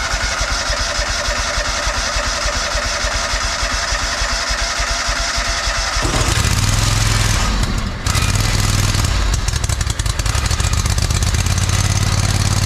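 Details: Free John Deere 317 lawn tractor, repowered with Kohler Command 18 hp engine, sat many years, first start: catches and settles to steady even beat with low exhaust thump; runs pretty good, though fuel leak remains, owner suspects cracked fuel pump.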